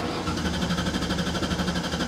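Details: 2000 Ford Taurus electronic returnless fuel system, crank no-start: steady even starter cranking at about five pulses a second that never catches.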